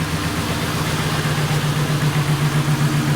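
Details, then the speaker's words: 1998 Ford Crown Victoria P71, misfiring since the engine was pressure washed, water suspected in the spark plug wells: low idle with a loping, uneven beat about four a second; running slightly better but still misfiring. "I don't know it sounds like it actually is running a little better I mean definitely still misfiring but it does sound like it's running a tad bit butter"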